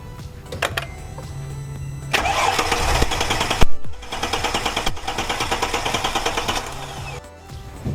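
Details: Mercedes E-Class W211 cranking but not starting, spark confirmed good during no-start diagnosis, fuel pressure next to test: two long bursts of steady starter cranking with regular compression beats that never catch over background music; cranks but won't fire.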